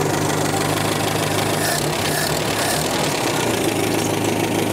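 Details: 1965 Datsun 320 pickup, first start after 30+ years sitting, original uncleaned carburetor, fuel dripping from leak: old petrol engine settles into steady idle with even low beat, no misfire or knock, slight background hiss.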